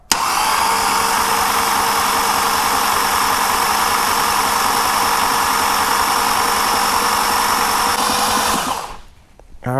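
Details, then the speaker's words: Porsche 911 Turbo 997.2 9A1 engine after rebuild, first oil-priming crank with plugs out: cranking starts slow, then picks up pace and holds steady, showing oil pressure is up; normal. Afterwards an oil leak appears at a front engine plug. "when you listen to the to the cranking you could listen to uh it it turns slow slow and out of nowhere it just picks up the pace it means it got oil it has oil pressure everything is good"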